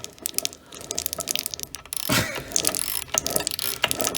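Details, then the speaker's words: Wolf BS3B/BS3W belt sander gearbox during recommissioning, just regreased (perhaps too much grease) and cleaned: light, even ticking and meshing chatter from small gears, no grinding or harsh knocks; normal gear mesh, sounds healthy. "Re-grease, clean everything up, and everything is meshing pretty good. It looks a bit like there's a bit too much grease on there, but oh yeah, that sounds amazing."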